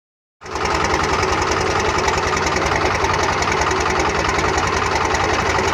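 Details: Cummins 12-valve diesel rebuilt about 100k ago (.040 over, balanced, timing about 16°), injection pump about 20k ago: it catches and idles with an uneven clatter and irregular gaps. Misfire and rough idle, worse after driving or revving; cause unknown.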